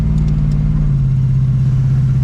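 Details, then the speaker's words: Plymouth Barracuda with TransGo TF3 shift-kitted 727 TorqueFlite automatic on maiden test drive: engine drones under load, then revs drop cleanly in one quick step into third with no flare or slip; normal upshift. "once this thing gets uh his tuned or whatever shifted right away right hit third"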